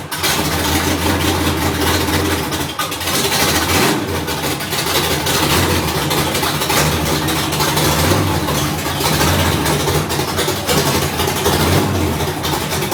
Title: Rough idle third gen